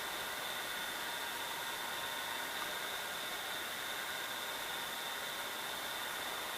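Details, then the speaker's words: Funai FHC-1200 4-head hi-fi stereo VCR after belt replacement and greasing of cam gear, playing tape normally in SLP mode: steady even transport hum with faint constant high whine, no warble or slipping; good torque. "So it's playing just fine. Okay, now it's playing a little bit slower because it's now playing an SLP."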